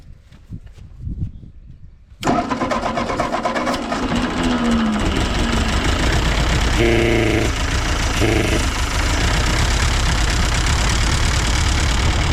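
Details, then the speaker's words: Ford 8N tractor after carburetor rebuild, choke off: catches after a short crank and settles into a steady, even beat with no misses or knocks, running cleanly, though reluctant to draw fuel and idle; owner suspects an intake leak. "sounds like it's running pretty good now the to's off kind of wondering if we do have a leak on that intake not wanting to suck fuel right away it doesn't want to idle but I'll let it warm up a little bit"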